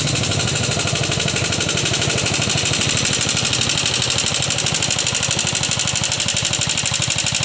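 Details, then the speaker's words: Yamaha Jupiter MX motorcycle idles with a loud, fast, sharp ticking over the exhaust beat that persisted after the rocker arms were replaced. "kawan-kawan jadi seperti ituah suara ngitik yang terjadi pada motor Jaha jupitar MX ini"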